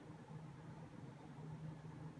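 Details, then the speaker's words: New Fan industrial ceiling fan with stiff bearings being freed up, on a solid-state speed control: quiet, steady low hum with a faint buzzy edge, no knocking; slight motor buzz, nothing too terrible. "I just want to hear what it sounds like if it makes too much noise or little bit little bit Buzzy but nothing too terrible."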